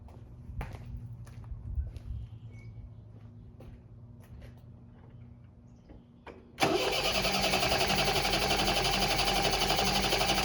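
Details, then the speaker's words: 1973 MGB sitting 20 years, lost spark: after quiet clicks starter churns steadily about four beats a second but never catches; distributor side connection found off. "okay so we lost Spark and I'm looking down here our connections on the coil are both down there positive and negative"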